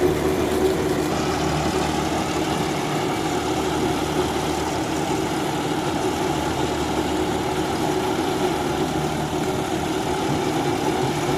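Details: John Deere 5075E CRD diesel tractor working a banana field, rpm holding with no drop: steady, even drone, smooth low hum under work with no knocks or rpm dips; normal running.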